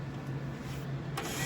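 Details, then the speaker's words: Creative bill validator after clearing a bill jam and closing it tight: steady low motor hum with light whirr as a bill draws in smoothly; hearing it feed means it's good to go. "you'll be able to hear it go. And when you hear that, you know that you are good to go."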